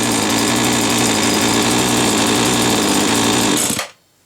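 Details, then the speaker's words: Hedge trimmer two-stroke, a bit smoky, now running after the fault turned out to be the switch left off: high, buzzy rattle holds steady for several seconds, then cuts out cleanly; normal running. "this I know it works now. I don't know why it weren't working before, but it appears to be working now."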